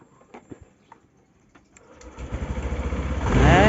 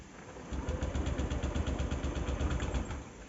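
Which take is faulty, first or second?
second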